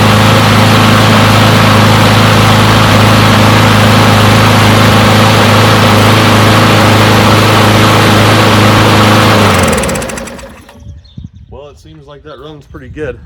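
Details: Push mower, non-running after sitting a long time, left running to warm up after finally starting: steady, even run at constant speed, no misses or surging, then clean shutdown; running normally.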